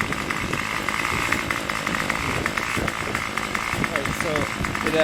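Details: Craftsman Weedwacker trimmer 316.791191, MTD 27cc two-stroke shortblock, Zama C1U-P27 carb, after rebuild: quick even buzz holding steady high idle around 2600–2700 rpm, no surging or dying, running without choke; normal running.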